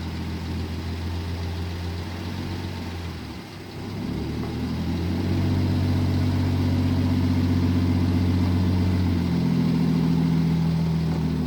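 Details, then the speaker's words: 1967 Jeep Gladiator, 6K original miles, dormant 30+ years, after mixture screw adjustment: steady, even petrol idle with a cleaned-up exhaust note, vacuum rising and speed lifting slightly; smooth idle. "Hear how the exhaust kind of cleaned up?"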